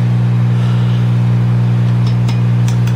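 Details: Fender DeVille 212 guitar amp with the original power tube reinstalled, all controls down except the master: loud, constant low buzzing hum; suspected cathode or filament-to-cathode short in the power tube.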